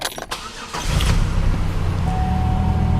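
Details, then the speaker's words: 2005 Buick LeSabre 3.8L 3800 Series II V6 starting after harmonic balancer and crankshaft sensor replacement, settling into low uneven idle with persistent misfire; owner suspects coil pack or spark plug. "have a check engine light once that clears and it's still running rough so I mean it could be something as simple as a coil pack or a fou plug"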